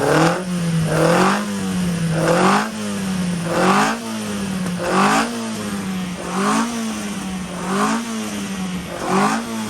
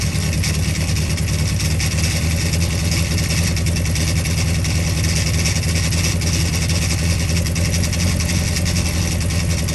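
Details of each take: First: Ian Carter special Carter998 engine freshly running on dyno, carb just set up, 80 psi oil pressure, distributor untouched: idle surges and sags roughly every 1.5 s, lumpy; timing light shows 55° advance at idle, over-advanced ignition timing. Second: Carter 998 engine running on the dyno under load, carb being set up, about 80 psi oil pressure. A loud, even, steady deep note with no knocking or misfire. Sounded sweet; normal running.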